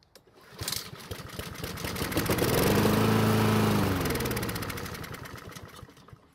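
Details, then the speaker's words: Husqvarna mower found free, oil level fine, little gasoline, air filter off and fuel added: engine catches, runs briefly, then dies within seconds; owner suspects part of the fuel system. "so the good news is that the engine started and sounded okay but the bad news is that it did not stay running which means there could be something wrong with part of the fuel system"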